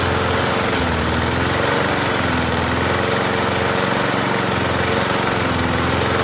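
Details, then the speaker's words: Murray 20-inch push mower with 4.5 hp Briggs & Stratton engine, just primed after refusing to run: small single-cylinder keeps running in a steady, slightly uneven putter without stalling; engine now running. "There we go. There we go. Now it's primed. Took it a minute."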